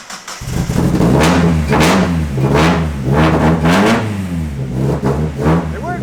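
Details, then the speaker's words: Miata-based Exocet race car, first start after installing a Megasquirt 3 Pro ECU and changing the trigger wheel setting: it catches quickly, blips with a few sharp revs and settles to a steady, even idle unassisted. It starts and runs normally. "Is it idling, or are you holding the gas? It's idling now. Cool. All right, it worked. Easier than I was expecting."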